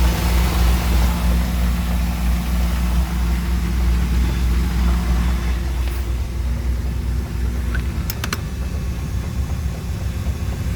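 Idling V6 with a steady knock around three per second over the low rumble, not changing much; knocking from inside the engine, source unknown.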